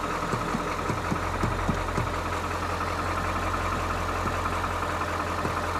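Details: 1997 Ford F350 7.3 turbo diesel, running again after new starter, batteries and wiring fixes: steady, even idle with a low smooth throb and light regular clatter, no misses or knocks; healthy idle. A fuse keeps blowing, cause not yet found.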